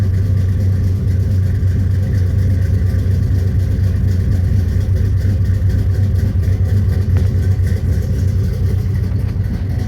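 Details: 1983 Chevy C10 step side, 383 stroker V8 installed about 20–21 years ago, cold start before a heater core replacement: deep, steady rumble with an even beat and no ticks or knocks. Starts and runs phenomenally, a normal cold idle.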